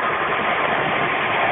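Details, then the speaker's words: Custom 110-pound-capacity rock tumbler barrel in polishing stage with peridot and cerium oxide: steady, even rushing clatter of stones rolling inside, no knocks or surges; running normally. "So this one is going through polishing, and if you can hear the peridot noise that you can, it's pretty much mostly running inside getting polished."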